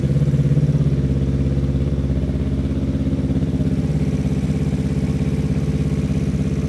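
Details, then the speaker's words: Newly built Yamaha R3 superbike race engine, replacing the stock motor, first start on a freshly flashed ECU map before dyno tune; steady even idle, no rough ticking or knocking, mechanically sound and assembled right; normal idle. "all right motor sounds good the thing seems to be mechanically sound there's no rough ticking noises or anything means that we assembled it right"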